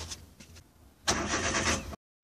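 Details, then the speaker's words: Daewoo Matiz after fuel pump strainer replacement; the pump did not run on the first attempt until its contacts were rechecked. Now the starter turns briefly, then the engine catches and settles into a smooth, even idle. Normal start. "Только после этого машина завелась. Когда я включил зажигание, я услышал, что наконец-то сработал топливный насос, и всё зарабо"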